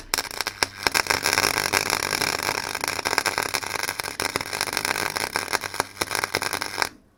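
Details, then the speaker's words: Clarke Pro 90 MIG welder, a first-ever MIG attempt, with wire speed lowered: a harsh arc that stutters, sputters and breaks up instead of a smooth fry, then cuts out. It seems to burn up the wire too quickly (suspected, not confirmed). "Yeah, that was a bit stuttery. It seemed like it was burning up the wire a bit too quickly."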